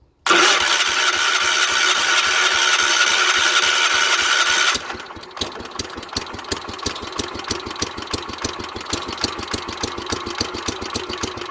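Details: 1970s Wheel Horse C121 8-speed mini tractor with a Kohler engine, first start attempt after rewiring the buzzing fuel pump, points untested. It catches quickly, roars briefly, then settles to an even single-cylinder idle of about three to four beats a second; healthy running.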